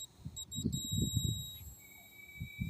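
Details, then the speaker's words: Automotive relay tested with a multimeter on continuity: thin meter tone with clicks, then a steady continuity beep. Terminals 30 and 87 connect once 85 and 86 are energised, so the relay contacts are closing properly. "So it means nag-contact tong 30 at saka 87 once nag-contact na yung 86, 85."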